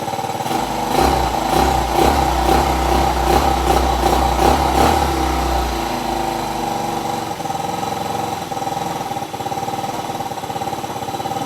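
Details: Yamaha Mio 125 RR with no-start and fast battery drain complaint: steady single-cylinder idle with brief light rev, even firing, no knocks; charging 13 V rising toward 14 V with throttle, normal.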